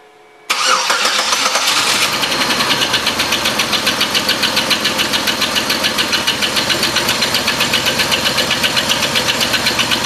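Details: Oldsmobile Silhouette van at idle: light tinny valve-train ticking about four per second with misfire, quieter and smoother when revved; caused by a loose rocker arm bolt.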